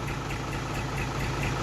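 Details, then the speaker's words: Thai truck with an Eaton cable-shift gearbox: even, steady diesel idle with a soft regular beat, no knocks or rattles. Very smooth, healthy idle. "8cนะครับผมเครื่องJ84โคตรนิ่มอ่ะ"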